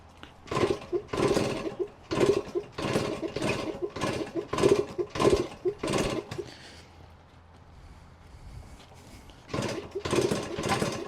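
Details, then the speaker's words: Yamaha GT80 two-stroke mini enduro (1977–79), just started after sitting unused, oil recently changed, low on two-stroke oil: crisp buzzy revs in repeated throttle blips, dropping to soft idle and picking up cleanly; little smoke, normal healthy running. "Wow, that was pretty impressive. Didn't take long to start, and yeah, these old two-strokes, man, just start right up. Not even that much smoke either."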